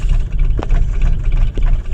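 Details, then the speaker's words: 2000 Holden Astra with hard starting and long cranking, running at idle around 754 rpm: low uneven rumble that dips and stumbles each second; engine misfire at idle, injector test next. "guys uh right now the engine is running and the vehicle is misfiring you can hear of the engine guys"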